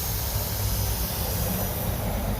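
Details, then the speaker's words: Honda Civic EG hatch (turbo) at idle: a steady hiss over a low rumble as pressurized coolant escapes from a leaking cooling hose, heard while rushing to the shop. "got a cooling leak I know which hose it is cuz I saw it just trying to make it to the shop as quick as I could can actually hear it hissing from all the pressure cooling leak on that hose right there"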